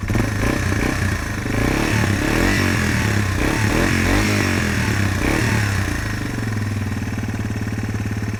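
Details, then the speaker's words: Yamaha TW200 dual-sport single-cylinder motorcycle, warm, idling with a steady thumping beat about three pulses a second settling into an even rhythm; healthy idle. "Yeah, she's warm now."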